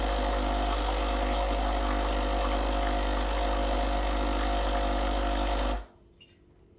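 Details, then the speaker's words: Breville BES870 hot water spout dispensing a fixed 8 oz, on a freshly descaled machine. Steady, even pump hum with water rushing through, then a clean cut-off; the hot water pump sounds healthy. "will dispense exactly eight ounces not sure how many milliliters that is"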